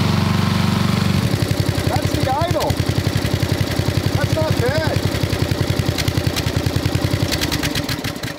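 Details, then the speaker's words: 1990s Snapper riding mower with Briggs & Stratton single-cylinder, sitting for years and long overdue oil change: even steady putter at idle, no misses or knocks; idling normally. "she sounds great doesn't she"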